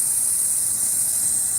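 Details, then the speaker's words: Engine just after it blew: a steady, high-pitched hiss with no engine beat, gas or steam escaping, with oil seen coming out all over the top side. "you hear that hissing yeah so that that ain't supposed to happen"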